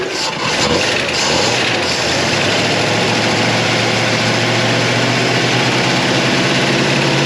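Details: 1957 Chevy Bel Air, likely a 283 small-block V8, garage kept since '76, just fired with the fuel pump working. It idles loud and uneven with ragged pulses. They suspect something stuck in the carburetor and are letting it run the carburetor dry; it smokes from oil on the manifolds.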